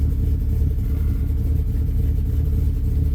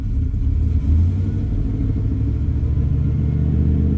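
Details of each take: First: 2000 Dodge Ram after alternator removal for overcharging, first start with the battery reconnected: low, uneven, lumpy idle, stumbling and loaded-up. Idle memory was lost, so it is relearning; charging slightly low. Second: 2000 Dodge Ram after alternator removed and tested for overcharging, first start with battery cable reconnected: steady, even low rumble with no knocks or whine, settling slightly lighter near the end; normal idle.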